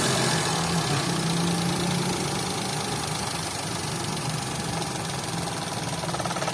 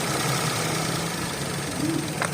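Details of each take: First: 2011 Toyota Vitz petrol engine at idle with check-engine light and code P0303: rough, uneven stumbling beat from a cylinder 3 misfire, caused by swapped fuel injector pulse wires; fixed by reconnecting the wires correctly. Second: 2011 Toyota Vitz after repair of a P0303 cylinder 3 misfire caused by a broken fuel injector pulse wire: the petrol engine idles with a steady, even hum, no skipping or knock.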